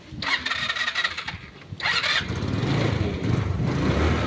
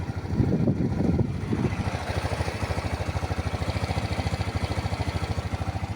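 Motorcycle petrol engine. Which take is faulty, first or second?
first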